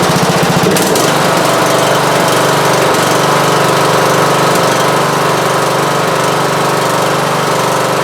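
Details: Repaired riding lawn mower after sheared key and near-total parts replacement (belts, charging system, magneto, battery, carburetor), exhaust still leaking: single-cylinder engine running at a steady, rapid, regular beat with no knock; healthy.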